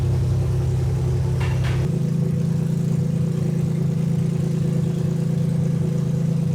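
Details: 2001 Lexus IS300 after its clogged catalytic converters were replaced with an aftermarket header. Steady low idle with an uneven, stumbling beat about three pulses a second, popping out the header; a misfire is suspected, possibly one cylinder, cause not confirmed.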